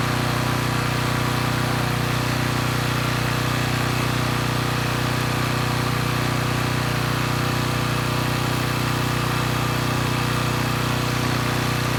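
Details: Coleman Powermate Pulse 1850 generator, 1996 single-cylinder engine, after carburettor repair, unloaded in driveway: steady, even low hum, no misses, surges or knocks; holds speed cleanly, normal running.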